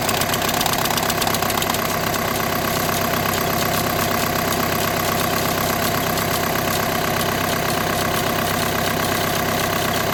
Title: #diagnosis#strange sound#clutch#plate clutch#plate bearing#clutch plate vibration#vw 2008-2014#dsg